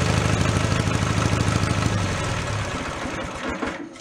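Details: Mid-1980s Snapper riding mower pulled from a dump, started in neutral on choke; it catches and settles into a steady low chug; normal start and idle.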